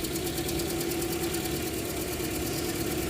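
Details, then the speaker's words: 2009 Toyota Matrix 1.8L, hard to start and rough after a dealer timing-chain tensioner and spark plug job, injector-kill test at idle: rhythmic stumble with light ticking. Cylinder 4 is worst and cylinder 3 bad, pointing to low compression; a head gasket failure is suspected. "you hear there's a difference between each one even though it's not showing it four gets worse three's kind of bad two there's a slight difference and one there's a slight difference so that's kind of confirming"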